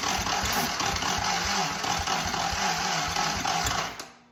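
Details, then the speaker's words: Original 1943 WWII Willys Go Devil jeep engine, not run in decades, first start attempts while making adjustments after backfiring: uneven cranking with a few catching firings and starter grind, then turnover slows and dies as the battery goes flat. "Got a little bit of starter grind there, so that means it was trying to go. I need to charge my charger."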